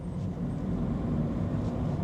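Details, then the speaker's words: Cheap Ford Fiesta on a test drive, pulling well: low, smooth road rumble with no growl or drone rising with speed; a suspected wheel bearing noise isn't really there, and it is fairly quiet; normal driving. "I thought I could hear a wheelbarrow noise, but I don't think I can. It's fairly quiet actually."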